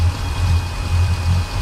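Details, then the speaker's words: Volvo Penta 8.1 GI (496) marine V8 idling rough, uneven lumpy pulse dipping every few beats, fuel regulator checked good; ear on the riser listening for the misfiring side; one cylinder missing from a clogged injector. "Problem is, these engines run so smooth. Now what I'm doing here is having my ear up to the riser and listening for all the hits on the engine. So I do this with both sides to figure out which side the misfire's on."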